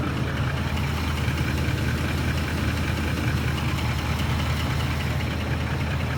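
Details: Ford F150 at steady low idle: faint quick ticking knock riding over the engine; light knocking, owner suspects VCT phaser or timing chain tensioners, unconfirmed.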